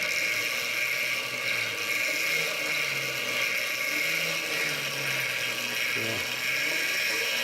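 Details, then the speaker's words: Quadra Sprint fitted with an electric scooter motor and chain drive, first power-on after final assembly with old master link reused; even high whir from motor and chain at steady speed, no clicking, slapping or kinks; normal running. "everything's caring I don't seem to be any kinks in the chain I think this thing's ready to hit the highway"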